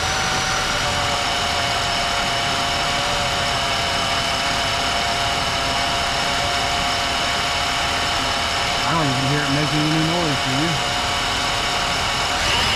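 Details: 1996 Chevy Lumina idling after Bar's Leak power steering repair was added to the reservoir to fix pump noise: smooth, steady idle with no whine from the pump, which now sounds quiet and normal.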